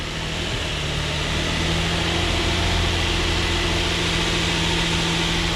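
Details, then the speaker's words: Nissan Frontier with replacement 2005 VQ 4.0 engine from an automatic Xterra, manual 4x4, first start with no coolant, airbox loosely on, not in gear: smooth, steady idle with even hum and no knocks, misses or ticks; sounds healthy. "All right. Sounds good, not in gear."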